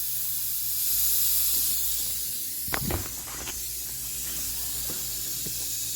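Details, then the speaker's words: Truck with newly installed 48RE transmission, intake pressurized with shop air to about 20–30 lb for a boost leak test: steady loud hiss of escaping air; boost leak at an intercooler boot, needs replacing. "there you can hear the sound change when I did that so we definitely need a boot definitely need a boot"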